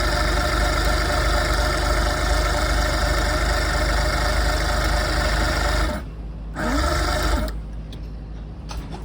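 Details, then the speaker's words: Boat engine converted from fuel injection to carburetor with swapped wiring harness, no fuel in the system, carburetor cleaner sprayed: starter churns steadily for six seconds but never fires; cranks but won't start, cause not yet found. "I'm gonna crank it I'm gonna spray some carburetor cleaner to see if his star but he doesn't start so I gotta find out what's going on"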